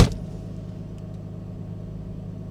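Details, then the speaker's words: 1995 Mercedes E320 wagon (W124/S124) after engine mount replacement: even, low, steady hum at idle with no knocks or rattles; much quieter than before, normal idle. A known exhaust leak remains. "oh that is so much quieter there's nothing rattling anymore okay"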